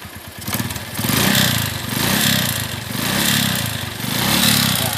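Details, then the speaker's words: Suzuki Shogun 125 RR (Shogun Robot) revved after idle problem fixed: harsh, rattly knock over engine note, louder under throttle, with smoke; suspected worn piston, oil found nearly empty from burning. "suara piston karena suara dari sini dan asapnya"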